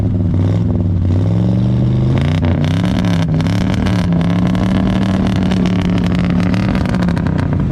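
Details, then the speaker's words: 1965 Ford Galaxie 500 V8 running for the first time after sitting for years, heard from the rear through glasspack mufflers: deep burble rising smoothly with revs, even firing, no misfire; runs healthy. "Golly. That car sounds good, y'all."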